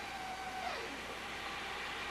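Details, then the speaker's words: Steam car during a 1997 starting demonstration: thin squeak of fuel passing through the valve, then a soft rushing roar as the burner lights normally. "When you hear that fuel going, squeaking going through that valve, and then we heard the burn light."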